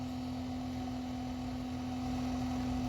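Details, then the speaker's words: RV macerator pump on a 1996 Country Coach with the black water tank empty: a steady unloaded drone at roughly two hundred-odd hertz, nothing left to push out. Pump running dry. "you can also hear the tank behind me it's not really pushing nothing else out it's just kind"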